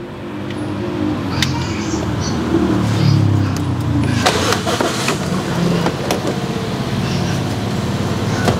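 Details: Toyota Vios Gen 3 started with a newly installed push-button engine start/stop while the brake is pressed: the engine catches quickly and settles into a steady idle with a few light clicks. It is starting and idling normally.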